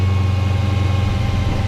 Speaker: That was a nice cold start though, huh?